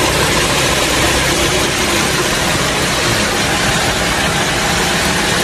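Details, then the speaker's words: Toyota Camry 3.5 L V6 2GR, about 100,000 km, after full engine overhaul fixing a clicking knock from engine bearings: smooth, even, quiet idle with no knocking or rattle, normal. "thì nó đang nổ máy êm ái như tiếng thì thầm."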